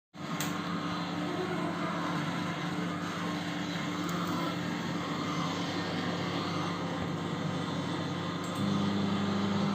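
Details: LG microwave oven running: steady loud drone with low hum held evenly throughout; noise attributed to the turntable motor.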